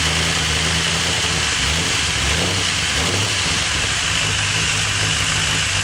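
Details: First startup of a freshly rebuilt V8 with Crow Cams lifters and CNC-ported heads: fast, busy ticking over a steady idle as the lifters fail to pump up. Owner suspects lifters weren't soaked enough; cam lobes later found dry.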